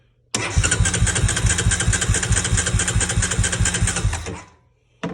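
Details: 2003 Honda Recon 250 ATV that sat unrun for many years, on a boost voltage source: starter spins the engine briskly with even compression pulses for about four seconds, but it never catches; cranks without starting.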